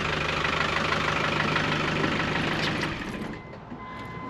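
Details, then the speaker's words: Land Rover diesel pickup with newly finished stainless exhaust and its long-used cherry bomb muffler, heard at idle: a steady even beat with no rattles or buzzing from underneath, then it dies away. Normal idle. "So that cherry bomb's been through many, you know, layouts of this truck, but that sounds fine. Doesn't rattle anyway."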